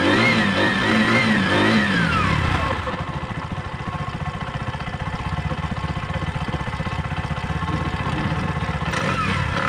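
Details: Bajaj facelift second edition single after carbon deposit cleaning, previously hard starting and misfiring: revs fall away, then a steady, even idle of about four beats a second with no misses; normal idle.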